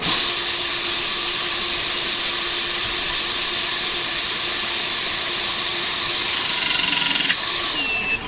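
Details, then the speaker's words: Pinchen HL-400B cordless hydraulic crimping pliers after oil-leak repair and bleeding air: steady, even motor-pump whine with no popping or sputtering, so no trapped air remains. "Listen for the sound of air There should be no more Just you will hear a popping sound That might mean there is air"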